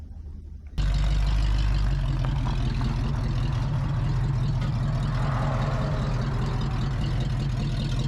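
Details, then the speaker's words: 1978 Oldsmobile 98 V8 recovered from the woods with a rebuilt carb and new fuel lines: bursts into a deep, steady rumble with no knocks or misses, and it accelerates well. "the brakes work it accelerates nice everything about this car works for what you would expect"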